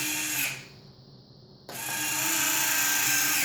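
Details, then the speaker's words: Horizon Hobby Spitfire 1.2m RC plane with faulty rudder servo (stripped gear): high, smooth motor whine stopping briefly then restarting evenly as the retracts cycle; normal retract operation. "watch these awesome retracts work. Oh, that is so cool, guys. Those retracts are so sweet."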